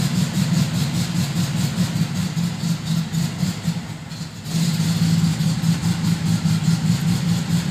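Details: 1972 VW Fastback with a fuel-injection issue, cold, heavy smoke that eases once warm; low uneven loping idle that dips and recovers, struggling; rough idle, cause not confirmed.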